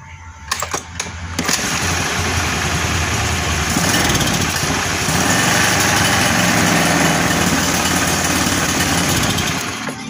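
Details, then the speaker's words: Carbureted Honda Beat scooter engine revs unevenly, sputtering and bogging with no power as the throttle opens; carburetor stumble on initial pull-away. "Abit karbu penyakitnya ini brebet ya bray enggak ada tenaganya katanya ngepos"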